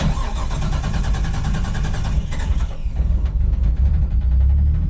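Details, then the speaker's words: Forged 550hp RB25DET in an R33 Skyline, started after the fuel system is re-primed; it cranks in a rapid, even churn for about three seconds, then catches and settles into a steady idle. "just getting fuel into it. There we have it. Got it started."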